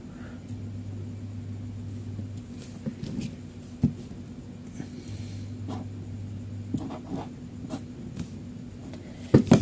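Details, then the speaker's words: Fridge compressor GFF57AA (1/6 HP plus or 1/5 HP) with an undersized 1/8 HP overload: the hum cuts out at 13 s and reconnects, repeatedly tripping and resetting, which would burn out the compressor; a 1/8 HP overload is unsuitable. "Oke, stop di 13 detik, memutus, kemudian menghubung lagi. Nah, ini memutus, menghubung, memutus, dan menghubung."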